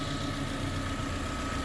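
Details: Chevrolet Corsa Classic 2012 VHC-E engine after water pump refit and timing set: smooth, steady idle, even low hum, no knocking, whining or grinding; the noise is gone, normal idle.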